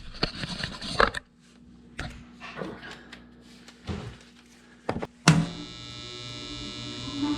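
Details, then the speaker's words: Home HVAC heater switched on: low hum and a few knocks, then a hard, loud buzz snaps in at start-up and holds; the blower fan's start capacitor is suspected, cause unconfirmed. "So, I don't know if you can hear that, but there is just a horrible buzzing sound. And it's actually much quieter than it usually is here."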